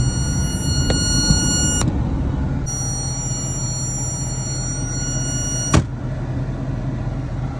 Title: my 2006 dodge magnum started making this weird buzzing sound when i hit the brake pedal. help!